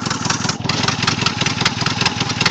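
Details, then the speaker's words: 1987 Toyota 4Runner, 22RE fuel-injected four-cylinder, idling just after being brought back to running, with a known exhaust leak: fast exhaust puffing and a faint intermittent bird-like chirp. Wiring is correct; valve adjustment was suggested as a possible cause; source unknown. "You can barely hear it, but it's chirping a bird. My wires are hooked up like I needed to be. For some reason it chirps like a damn bird."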